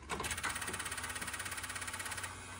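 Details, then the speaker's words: Engine with cracked block repaired with JB Weld, battery charged for a week: rapid even chattering pulses, about eleven a second, through the whole crank without catching; odd cranking sound, cause unknown. "why does it sound like that"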